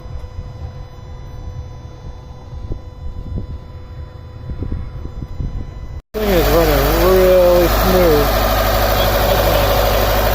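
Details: 2013 Subaru WRX Limited 2.5L after a no-start, now running after the cam pin was moved from the top hole to the middle one; a few quiet clicks, then it fires and settles into a firm, steady idle with no misses; normal idle.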